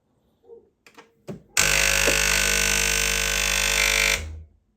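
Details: Secondhand Gastroback espresso machine with a no-water-output fault: after a few clicks, a loud steady buzz holds for under three seconds, nothing flows and nothing heats. The vibratory pump is running dry, starved by a clogged inlet filter.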